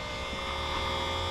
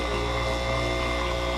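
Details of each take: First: 3-point tractor sprayer sitting 30+ years, rebuilt, first run with water: steady electric hum with whirring whine and no change in note as the pump spins dry before picking up prime. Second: 3-point tractor sprayer sitting 30+ years, rebuilt, first run with water: pump motor whine shifts and settles as it takes on load; pump has picked up prime and water starts coming out.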